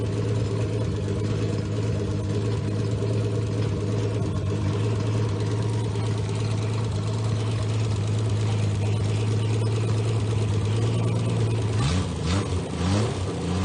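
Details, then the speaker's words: Freshly rebuilt Triumph GT6 2000 six-cylinder on run stand (BP270 cam, shaved head, 150 psi compression, 80 psi oil pressure), no load; light whir is the worn rigged water pump, not the engine: steady, even, healthy idle. "i assure you that's the that's the water pump and not the motor so i'm going to fire it up and let you hear it run"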